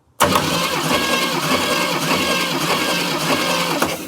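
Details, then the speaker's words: 1968 Chevrolet Camaro engine with a flat-tappet cam during a cranking compression test: steady, even cranking for about four seconds with no firing, and the gauge reads about 150 psi. Normal cranking with good compression. "now I can crank it again and you will watch that dial jump whoa how does this thing have 150 lbs yikes"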